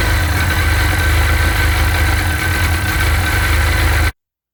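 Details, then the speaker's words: Sea-Doo 951 DI two-stroke during custom rebuild troubleshooting, idling with low but steady air-injection pressure (should be 80 psi); loud idle with slightly uneven, lumpy beat, no surge; rough idle, owner suspects the air pressure regulator. "now it'll the pressure will go up when i rev it but um still runs a little bit rough and so at this point maybe i have it isolated down to the uh the air pressure regulator"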